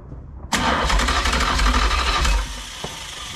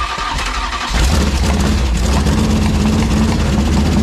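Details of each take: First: Ex-motorhome Mopar 440 big-block V8, long unrun, hot-wired from a battery, crank check before ignition hookup: strong, even starter churn about three beats a second, no catch or fire; cranks fine. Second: Ex-motorhome Mopar 440 V8 on a dolly with headers and transmission, gas in the bowls, just fired: rough, lumpy idle with intermittent pops; owner suspects ignition or electrical cause, unconfirmed.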